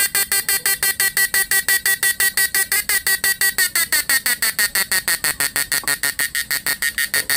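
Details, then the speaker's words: Repaired PDC 4-FET mini stun inverter, under load on doubled small 10 Ah and 7 Ah batteries without dropping right away, economical draw: even bright pulsed buzz about three a second, no dropouts or stumbles; normal under load. "ini masih tergolong irit ini Padahal saya pakai aki kecil ya guys yang 10 AMP sama yang 7 ampere ini saya dobel tapi ini enggak langsung drop ya"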